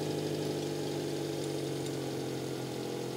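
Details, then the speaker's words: 1996 Subaru Sambar KS4 idling fast and steady with no hunting, rising as the engine warms; idle set too high, to be adjusted down to about 800 rpm after checking timing, following a crank-no-start problem. "so our idle is really high right now and it's getting progressively higher as the engine warms up so we need to go ahead and adjust that down"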